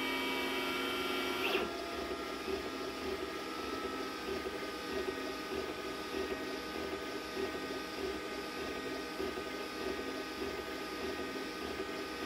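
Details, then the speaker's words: Glowforge Basic laser engraver running a print job after the stock exhaust fan was upgraded to a larger inline fan at half speed, same mic position: only a soft even hiss and faint ticking from the moving head. The exhaust is quiet and normal. "now pretty much all you hear is the actual arm of the laser moving"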